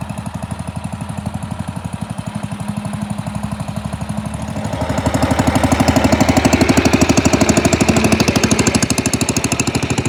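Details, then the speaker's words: Pond lever-steer tractor with magneto-ignition engine, driving: steady scraping tick about three times a second, growing with revs; clutch pressure plate fingers pivot out with the clutch in and hit the bell housing. "these fingers on this pressure plate when you put the clutch in it pushes the inside and these pivot and come out and it's just hitting the bell housing here"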